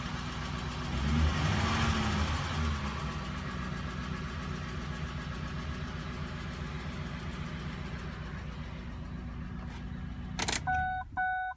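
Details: Ford Triton 5.4L V8 with VCT: idles slightly unevenly with a quick, steady tick about four times a second. The misfire came from failed ignition coils, with the ECU shifting timing to compensate; at first it was thought to be an exhaust leak, and replacing all 8 coils and spark plugs fixed it.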